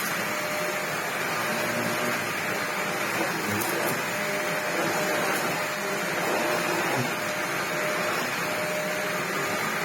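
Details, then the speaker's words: Used Sebo Dart 1 commercial upright vacuum bought for £30, first test before refurbishment with a hole and missing parts; steady, even motor roar with constant airflow hiss, no surging or grinding; motor sounds really strong, runs okay. "it runs okay it's got accident the motor seems really strong the red light"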